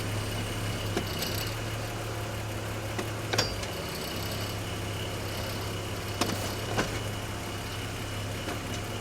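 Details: BMW X5 E53 with 108k miles, shifting P to D to R at idle: sharp metallic pings and clunks when reverse engages, though reverse otherwise works. A bad guibo joint is suggested but unconfirmed.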